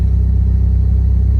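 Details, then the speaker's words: 2G DSM Talon at first startup after installing a 525 Hellcat in-tank fuel pump and heavier-gauge wiring, tank open: steady, even low idle rumble with smooth regular pulse, pump barely audible, no knocking or whine; fuel pressure about 39; normal idle. "this pump is so quiet for how big it is it's absolutely unreal like I have it right opened up here and I can barely hear it"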